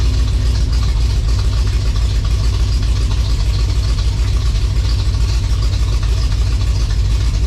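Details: 1956 Chevy V8 on its first drive after the build, idling after the timing was set, with a high-stall converter and lazy gear engagement: a loud lumpy idle with irregular stumbles. The owner hears a definite miss; the cause is unconfirmed.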